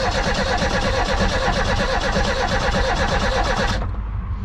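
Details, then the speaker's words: 1988 Reliant Rialto that won't start: the starter churns evenly for about four seconds with no catch or firing. Spark is visible, so the owner suspects a fuel issue. "oh I can see the spark so it's getting sparked so it's got to be a fuel issue has to be"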